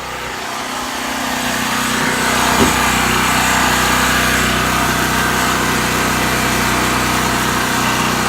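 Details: New Powerhorse 4000 generator on its first run: a steady, even buzzing drone settles quickly and holds a constant pitch with no misses or knocks; it is running normally.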